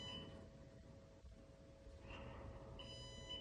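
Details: NAS with four SSDs, one degraded or disconnected: high-pitched alarm beeps repeat in short bursts over a low fan hum, warning of a degraded RAID, before drive replacement and rebuild.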